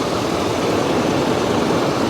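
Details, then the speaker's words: Quiet, healthy diesel idle on a truck at a Copart auction: an even, smooth low hum with no knocks or rattles, very quiet and luxurious compared with an old Ram nearby. "It's a good looking truck. It's really quiet. Especially compared to that old Ram right there. This thing is very, very quiet, very luxurious."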